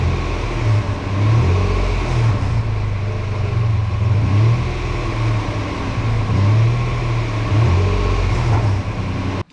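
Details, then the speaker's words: Truck exhaust after new cat-back install and sealant cured a week with second coat, revved: deep smooth drone swelling evenly, no puffing, ticking or rattle; no exhaust leak. "So as you can see, that exhaust worked perfect."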